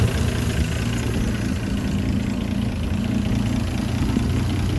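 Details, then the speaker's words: Land Rover Series 3 109, 2.6 six-cylinder with carburettor still being tuned, just after starting, good oil pressure: smooth, even low hum at idle, steady loudness, no ticks or misses. Normal, quiet idle. "there's something on idle and but listen quiet the engineers now you know you've got a very good engine"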